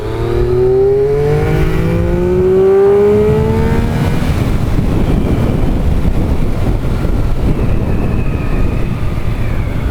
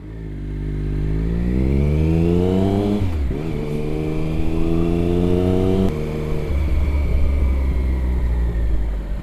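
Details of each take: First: Triumph Daytona 955i, fuel-injected, with new aftermarket slip-on exhaust (may need ECU tuning), 100% throttle in third (possibly second) gear: clean rising note pulling smoothly through the rev range, no stutter or popping; normal full-throttle acceleration. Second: Triumph Daytona 955i (fuel injected) after fitting aftermarket slip-on exhaust and sealing an exhaust leak: from low rpm in first gear, opening the throttle makes the engine sputter and stumble, worse in higher gears; likely needs fuel tuning.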